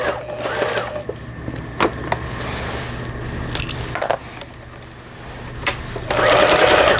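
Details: Pfaff Tipmatic 6120 German sewing machine, about 25 years old, after first repair, reverse and zigzag stitching: short bursts of quick even stitching clatter between pauses, no grinding or catching; sews smoothly.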